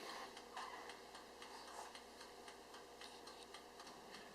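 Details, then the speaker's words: Oster TSSTTVCG03 convection countertop toaster oven with convection on while baking lasagna: steady light clock-like timer ticking over a very soft fan hush, nothing harsh or uneven; fan and timer sound normal. "You can hear the quiet fan start going with the timer. It's not too loud at all."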